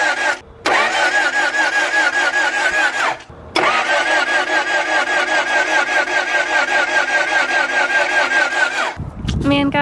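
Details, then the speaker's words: Honda Prelude H22, bought front-wrecked and never run in nearly two years of ownership: two long even cranking bursts with no firing even with starting fluid; fuel reads present; cranks but no start, cause unknown. "spray some more nope starting fluid does not make a difference it's saying we got gas i don't know guys"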